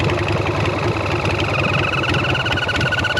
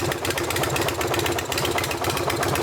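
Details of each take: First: Sportster bobber V-twin on its first test ride after the rebuild, after a carb backfire. Uneven idle with a thin whistle rising over the beat. The vacuum line looked fine; an air leak around the carb or intake manifold is suspected. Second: Sportster bobber V-twin after the air-leak repair: paint cleaned off and the crooked part refitted, torqued evenly between both cylinders. Loud, lumpy but even thumping with no stumble or lean hunting. Runs normally.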